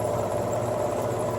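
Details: Sears Craftsman Contractor Series 20-inch scroll saw with new DC-51 speed controller replacing failed one that ran only full power: steady, even motor hum, thin mid-pitched tone, no knocks or rattles; drive runs smoothly.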